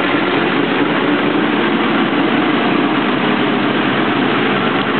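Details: Engine after rebuild and cams: steady idle with busy, rough mechanical clatter of unclear source, partly masked by an exhaust leak.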